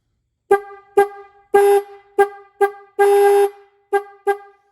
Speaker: But listen, when I hold it on, it becomes more scratchy. Hear how it's scratchy? I don't know how this is going to translate that sound, but it's real scratchy when I hold it on.